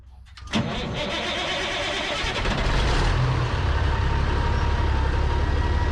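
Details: Kenworth K100 cabover CAT 3406B diesel after injection pump rebuild, previous injector trouble and no-start: catches after brief crank, settles into steady even diesel clatter, no misses; running normally.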